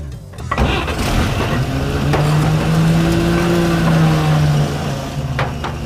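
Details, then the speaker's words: 1950 GMC six-cylinder pulled from a junkyard, first start on starting fluid with no water in the radiator: catches, then settles into a steady, even idle with a smooth low hum, no misses, knocks or smoke. "I can't believe it fired up and it's idling look at that dude it's alive"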